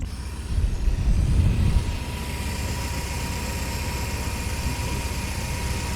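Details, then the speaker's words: 1993 Volvo 245 with B230F redblock engine, freezing weather, after replacing all four accessory belts: catches with a short rumble, then a steady, even idle with soft high hum; normal smooth idle. "And she really is running nice and smoothly, it sounds like."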